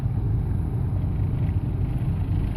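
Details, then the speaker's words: 2005 Hyundai Sonata 4-cylinder, about 130,000 miles: heavy, uneven stumbling rumble at idle shaking the car and steering wheel; rough idle from a failing injector dribbling fuel into the cylinder. "I mean that's a pretty bad you know serious Rumble in the engine serious vibration you can see the water bouncing everywhere I mean more so on the steering wheel you can actually hear it too"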